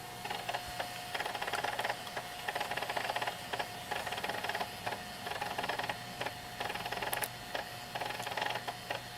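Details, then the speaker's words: JVC VHS-C camcorder recording after refitting the take-up belt that had slipped off its pulley and was eating tapes: quiet uneven clicking and whirring gear noise, about a click per second, yet it records with no errors; cause of noise unknown. "Getting some noise from those gears, but it's recording and it's not giving me any errors."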